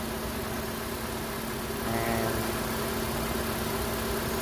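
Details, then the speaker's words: Nissan Versa/Sentra after AC compressor replacement, charging from low side with max AC at idle: steady low hum, slight lift as compressor engages, no rattle or grind; compressor healthy. "You can hear the AC compressor come down and that come on, and you can hear that go down."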